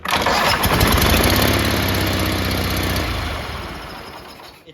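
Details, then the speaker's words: Riding mower with a big hole in the exhaust, recorded with the hood up before an epoxy putty repair: a loud, raspy, unmuffled bark at steady speed from the leaking exhaust. "So, you know how there's a big hole in the exhaust? Well, I'm tired of it. It's so loud."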